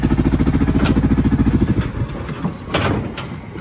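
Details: 2010 Kawasaki Brute Force 750 ATV at idle: lumpy, loping idle with uneven pulses about three to four per second; one cylinder dead from a bad spark plug.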